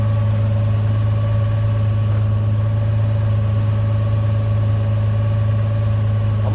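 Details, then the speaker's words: Lexus IS300, cold engine revved gently: steady, even hum with constant tone, no knocks, misses or ticks; engine sounds healthy and runs smoothly. "so as you guys can hear the car runs no problem I was a little worried ish I mean I wasn't revving it too hard but I don't like really I don't like reppin my cars when they're called but as you guys can tell the car sounds really healthy"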